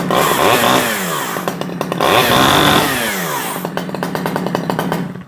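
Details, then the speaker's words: Stihl 011AV chainsaw that sat a long time, first run after the old thick fuel was dumped and before mixture adjustment: uneven surging with a blubbery, burbling note. It is oiling and sounds like it is running a bit rich. "she's oiling sounds like she's running a little bit Rich"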